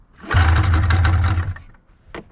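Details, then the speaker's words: 1999 Arctic Cat ZR500 snowmobile with fuel poured in by hand: a brief second of low, rough firing that dies as the poured fuel burns off. It fires but fuel is not reaching it; runs only on hand-poured fuel. "okay well good news she fires now we just got to get fuel to it and this thing is a disaster"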